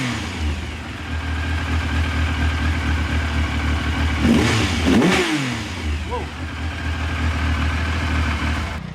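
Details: 1999 Triumph Sprint ST 955, running after injector cleaning: quick throttle blip rises and falls cleanly, then settles back to a steady idle.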